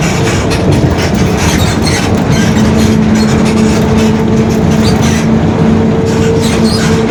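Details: 2021 Marcopolo Torino S on Mercedes-Benz OF-1721 BlueTec 5 chassis, long city bus, driving: steady low hum and a mid-pitched whine over the road noise, the differential growling.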